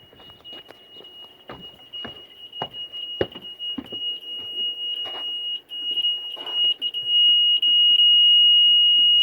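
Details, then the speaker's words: Homemade RV black tank alarm (LM393 voltage comparator module with SFM-27 buzzer) while flushing the black tank: shrill beeps in uneven Morse-like bursts, then nearly solid, meaning time to dump. Holding tank full alarm. "so i'm out here cleaning the windshield off and i can hear that beeper starting to beep"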